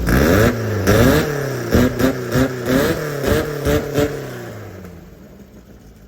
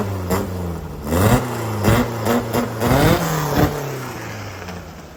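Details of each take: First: VW Baja engine with Weber-style carbs replacing the Kadrons, on a 115 main jet: about a dozen throttle blips of roughly one a second that rise and fall without snap, then a lazy idle; it feels flat, and the owner plans to try a 125 main. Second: VW Baja air-cooled flat-four upgraded from Kadron to Weber-style carbs, rejetted (main was 115, ended with 52 jet): blipped repeatedly, revs climb cleanly and drop to steady idle, crisp with no stumble or pop.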